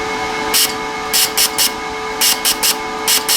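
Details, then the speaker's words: Lincoln Power MIG 210 MP, after thread compound was applied to the gas fitting: short bursts of sharp hiss on each trigger pull over a steady machine hum; gas now flows out, and the problem is possibly fixed. "there's definitely gas coming out of there now so that I might have fixed the problem"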